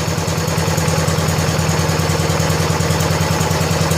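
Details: 1970 John Deere 140 H3 garden tractor single-cylinder, just after replacing a severely leaking blown head gasket: steady, even thumping idle, no knocks, misses or rattles; fired right up, runs smooth and quiet, burning off some oil.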